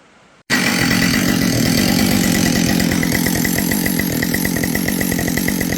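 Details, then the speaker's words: Husqvarna 572XP chainsaw at full throttle: a dry, fast metallic piston rattle under the exhaust note. The exhaust port looks not that bad, but the owner suspects a decked cylinder or worn top end again; unconfirmed. "And you hear that piston rattle? When you look in the exhaust, it doesn't look that bad."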